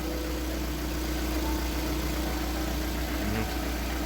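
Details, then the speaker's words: VAZ Priora 126 engine idling after about five minutes warm-up on flushing oil: steady even hum, hydraulic lifters no longer tapping, though they knocked hard when cold. "короче поработал одеты минут пять гидрики перестали стучать"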